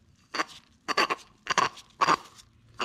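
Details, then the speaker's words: Minneapolis Moline A4T tractor, old throwout bearing with old grease, spun by hand off the tractor: rough, gritty crunching bursts about twice a second with each turn. Nothing smooth about it; the bearing is toast and is being replaced with a new one. "hear that there's nothing smooth or good about that the bearing is toast"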